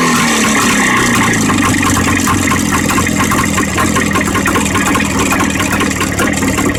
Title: Стук в двигателе ява 634.